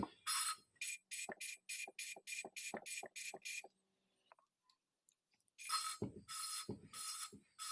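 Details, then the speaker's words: Later stage of motorcycle valve lapping: quick, rhythmic gritty swishes, now quieter and smoother than before as the seat smooths out. Oil is then added and the valve is rotated without lifting to finish the fine polishing. "Oke kang Bro ini suaranya sudah lebih senyap ya tidak seperti tadi Nah kalau suaranya sudah lebih halus kita tambahkan oli Kang Bro Biar lebih halus dan ringan proses penghalusannya biar lebih cepat"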